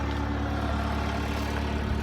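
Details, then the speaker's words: 2019 Forest River Wildwood 37BHSS2Q travel trailer, electric stabilizer jack retracting with button held until it stops by itself: steady, even low motor hum at one pitch, no straining, knocking or grinding; normal retraction. "for retracting you're just gonna press and hold the tract until they suck up to the trailer and stop by themselves"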